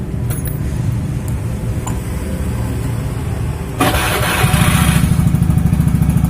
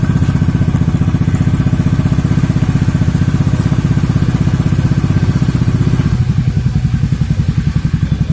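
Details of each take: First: Beat scooter with a Tsukigi exhaust used for a few months, at idle with throttle blips before the glasswool is replaced. Coarse, raspy exhaust that gets harsher on blips; the owner suspects the glasswool packing is burnt. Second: Beat scooter Tsukigi exhaust idling after the glasswool was replaced and the L-bolts retightened. Soft, even exhaust pulses with no raspy edge, noticeably smoother than before.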